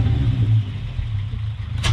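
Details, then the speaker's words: VW Jetta with a stock small V6, tuned, first start on the ground, check engine lights on with a suspected MAP issue: deep, smooth note that swells on a quick rev and settles cleanly, no ticking or misses. "i think i think everybody can hear it sounds so good that stock that's a little v6 fired right up"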